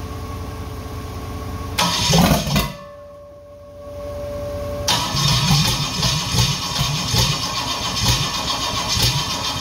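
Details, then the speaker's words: Rebuilt Holden 4.2L 253 on a stand, first start after rebuild: short cranking, then ragged, uneven firing; no fuel reaching the carburettor as the pump isn't delivering. "sounds like I want the fire but um sounds like I don't have any fuel up here that pump should have suck it up there really quickly"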